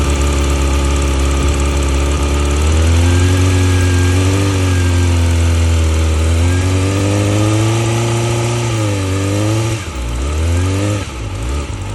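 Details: 2020 Yamaha R6 inline-four idling, then revving freely: a light, fast ticking rides over the engine note and follows the revs; cause not identified.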